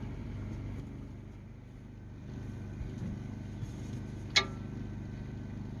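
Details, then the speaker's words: Abandoned 1948 Ford F5 bus after sitting 25 years, fuel in carburetor, charger connected: slow, labouring, rhythmic cranking churns for seconds and never fires; owner suspects battery needs replacing. "I don't know why it's cranking so slow. I might need to get a new battery on this thing."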